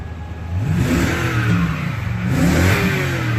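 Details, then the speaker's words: Toyota truck, everything said to be brand-new, engine revved from inside the cab during an inspection; two smooth throttle blips rising and falling evenly with no misses or knocks; normal engine revving. "let me go ahead and riff this there's no break for it okay and I'm gonna rip the engine right there"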